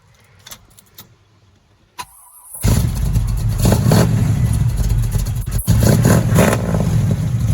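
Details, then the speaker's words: Chevy Nova 327 V8 with new glasspack mufflers and relocated exhaust exit catches after a quiet start and settles into a deep, throaty, steady rumble with an even beat; normal exhaust note. "Sounds a whole lot better, too. That's how muscle's supposed to sound."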